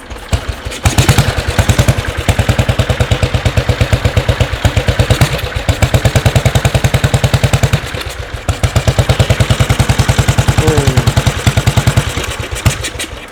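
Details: Rare 1952/1953 EMW R35 classic motorcycle, a BMW-derived single-cylinder, rarely used and started after storage with fuel flow suspected sluggish: steady, even thumping settling into idle, a little rough but running fine. Normal idle.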